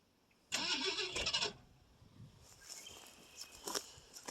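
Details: 1968 Ford LTD with a 390 FE two-barrel, off the road since 1999, on a cold start attempt. About a second of hissy cranking never catches, likely fuel starved, since the accelerator pump may not work.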